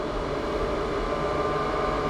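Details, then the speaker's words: Bilge blower on a Manta Ray boat with a Mercruiser engine, during electrical troubleshooting after the battery charger was connected; a steady, even airy whir with a constant mid-pitched hum and no rattles or surging, normal healthy bilge blower operation. "that's what a blower supposed to sound like"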